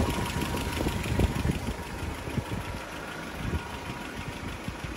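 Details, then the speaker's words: Land Rover Series 3 idling after PCV valve installation and a bad first start, brake cleaner around carburettor pipes not changing idle: four-cylinder ticking over slightly lumpy but steady, no misses; acceptable idle. "I mean, it's running okay. I'm a bit confused as to why it started so terribly beforehand."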